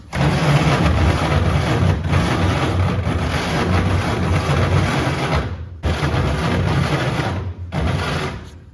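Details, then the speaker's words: 1934 Plymouth coupe, starter mostly destroyed and rebuilt, boosted with extra voltage after rotor replacement: starter churns engine steadily, slightly slow, no firing catch, pausing twice — cranks but won't start; starter sounds unhappy. Cause suspected, not confirmed. "oh well it likes the extra voltage but it's still not popping off I don't like that noise I don't think Mr starter is very happy with me"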